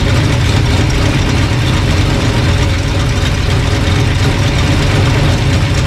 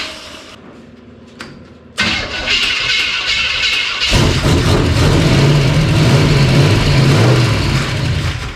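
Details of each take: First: Old engine after sorting a bad distributor, timing being dialed in with timing light: deep, even idle holding a constant beat with no stumbles or rattles; normal idle. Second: Old engine with timing known to be way out, fuel pump on: cranks and catches, revs rough a few seconds, then cuts out as spark drops; ignition loss, owner suspects faulty distributor.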